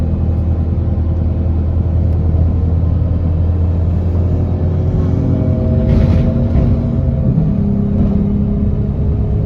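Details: Enviro 200 bus 37302, diesel engine: steady deep rumble with a faint humming tone creeping in partway through; unusual engine noise of unclear cause.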